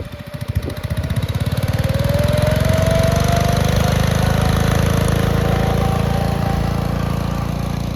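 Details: 1962 Bolens Ride-a-matic garden tractor, restored and test-driven outside: small single-cylinder engine catches, then climbs to a steady even beat at higher revs with no knocks or misses; runs very well.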